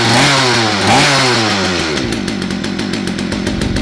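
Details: Poulan P3416/P3314 chainsaw after cleaning, hose replacement, carb rebuild and a spark plug gapped to about 28 thousandths: fires and revs up smoothly, settling into a steady buzzing run; fuel delivery sounds right and it holds speed well.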